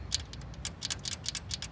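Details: 2014 GMC Sierra 1500 5.3 AFM, 55k miles, running: sharp rapid ticking about seven a second over low engine rumble from a collapsed lifter, with misfire code.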